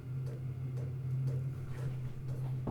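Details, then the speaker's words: Chinese all-in-one diesel heater in a workshop, mic on shirt at workbench away from unit: low steady fan/burner hum with faint regular pump ticking, quieter than a hot air gun; normal running. "And if I walk away, so stood by my bench when I'd normally be, I think it's quieter than the average hot air gun."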